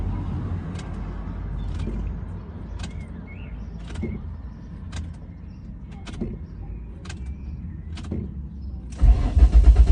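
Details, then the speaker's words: Ford Mondeo ST200 during fuel pump module replacement: quiet clicks as pump primes, then starter turns engine briefly but it won't fire; cause unknown, owner plans to try a new fuel filter. "to fetch the engine on and just not quite firing for whatever reason i'm not too sure"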